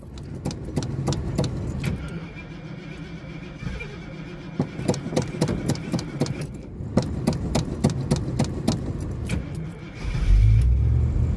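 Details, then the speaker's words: 1986 Ford Mustang, first start after sitting all winter with almost no fuel (owner suspects some water in it): uneven cranking chugs and clicks for about ten seconds before it catches and roars. "It has almost no fuel in it either, so there might be a little bit of water in that because it's been sitting all winter and without a full tank of fuel in it."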